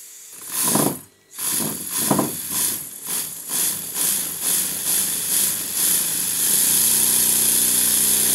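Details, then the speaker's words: Stuart Models Double 10V twin-cylinder model steam engine after crankshaft/bearing check, eccentric sheave fix and valve timing: soft chuffs speeding up as the regulator opens, then an even fast beat; much quieter when lifted off the bench. Normal running. "you will have noticed two things here first of all the response to the regulator was stunning and the second one was when i lifted it off the bench it became very quiet because as i mentioned earlier my bench is a sound soundboard"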